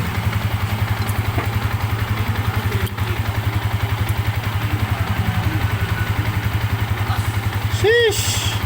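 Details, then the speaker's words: Sniper 150 idling after rebuild for excessive engine noise (timing chain, rocker arm, water seal, bearings, piston replaced): even, steady low thumping about four beats a second, quieter than before, no knocks or rattles. Normal idle. "Ayan oh. Mas tumahik. So yan nadali na natin mga bossing."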